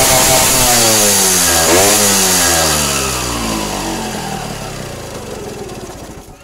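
Two-stroke blips up sharply and winds back down smoothly with no stumble or bog; it pulls cleanly with the mixture set on the rich side.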